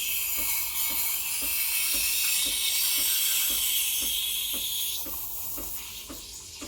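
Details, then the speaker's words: Breville Barista Express BES870 steam wand at full pressure, tip held close to the milk surface for about 20 seconds: loud, steady, high hiss with faint quick ticking underneath, easing near the end; normal aeration drawing air into the milk. "to hear that hissing sound that means i'm injecting air and i'm going to hold this listen for about 20 seconds"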